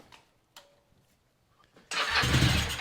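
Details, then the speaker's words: 1983 Yamaha XZ550RK Vision, not run in about 20 years, with spark confirmed: a few faint clicks, possibly the fuel pump, then cranking; catches about a second with a rough burst and dies. "I don't know what that noise is oh it's trying to which is good"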